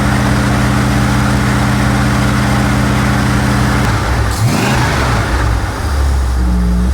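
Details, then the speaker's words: 1969 Plymouth Road Runner V8 parked for decades, running after the ignition module ground was cleaned: deep steady idle burble, a quick rev and settling back without stumbling, some smoke; longest it has run. "And she's staying running. I'm wondering if Shut it off and see if she'll restart. I want to test the coil real quick with this running. Okay, this is the longest she's run."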